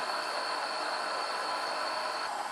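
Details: EQ20 bobbin winder filling size M bobbins one after another, thread laying evenly onto the bobbin. A steady, even whir with a clear high tone and no catches or rubbing. Normal running.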